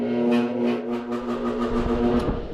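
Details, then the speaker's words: Brand-new HVAC blower motor with new mounts and capacitor, run on the yellow medium-low speed wire: a loud, steady droning hum with a honking tone, just slower than on higher speeds but the same loud noise. "Obviously it's just slower, still same loud noise."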